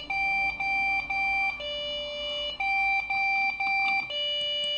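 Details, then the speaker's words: Refurbished Lenovo ThinkCentre desktop PC that won't boot: three short high beeps, then a fourth, longer beep at a different, lower tone, repeating about every two seconds. It is a POST beep code looked up as a Lenovo memory error. "Okay, it's three at one tone and four fourth one at a different tone."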